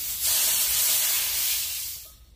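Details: R22 refrigerant being decanted from a 22.7 kg can into an empty 5 kg can to about 6 kg, valves closed: sharp steady high hiss for about two seconds then fading, trapped refrigerant venting as the charging hose is removed.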